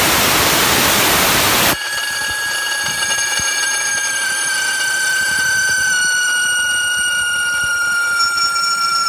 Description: After testing the PTO for noises, we found out that at high RPMs the PTO bearings were making whining noises.